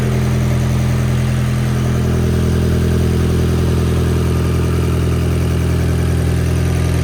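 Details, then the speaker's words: Turbocharged 1.8T four-cylinder petrol on first start idles smoothly and evenly, no misfire, with slight oil smoke burning off; the earlier roughness was likely timing, not a misfire. "Idling perfect. There's a little bit of smoke burning off from some oil there, but listen to that."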